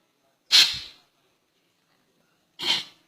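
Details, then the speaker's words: Automatic transmission clutch pack air test through the valve body feed holes: two short sharp air bursts cutting off cleanly with no lingering hiss; clutch pack holds air, not leaking, normal. "ให้ฟังเสียงเอางงี้ใช้ได้ไม่รั่วถ้ารั่วมันจะฟูดๆไปเลย"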